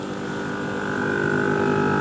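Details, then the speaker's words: Air suspension compressor on a Dodge Challenger during install, filling the system after lowering it (front at 47, as low as it goes); steady hum with a constant tone growing louder as it fills, no knocking or rattles, sounding healthy. "everything sounds good. We're gonna go mess around with it, see if we can dial it in."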